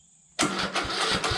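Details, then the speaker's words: Craftsman T1600 lawnmower, Briggs and Stratton engine, won't start after running out of gas (fuel solenoid suspected): starter cranks slowly in heavy uneven bursts and never catches; battery nearly flat, then dead. "And then sometimes it would just crank over and crank over and crank over, and right now probably got close to a dead battery, so let's just see what it does."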